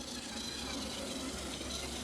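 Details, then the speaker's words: Classic 1980s Bachmann pancake-motor model locomotive after cracked-gear repair, running on track: even steady motor hum with a faint light tick mixed in; running fine. "I don't know what a Bachman pancake motor actually sounds like oh I guess it sounds like this with a little tick tick tick tick tick tick you mixed in"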